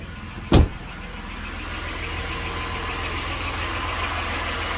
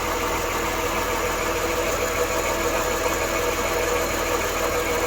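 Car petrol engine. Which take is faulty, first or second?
second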